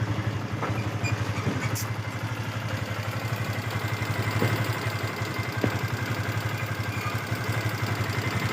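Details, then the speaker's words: Yamaha FZS V2 at 437 km, idling: light, uneven metallic ticking over the low engine thump from loose tappets and a slack timing chain, blamed on rough riding without a proper break-in period; tappet and timing chain adjustment needed. "Sound টেপিড, timing chain loose হয়ে গেছে। গাড়িটা রাফ চালার কারণে লুজ হয়ে গেছে।"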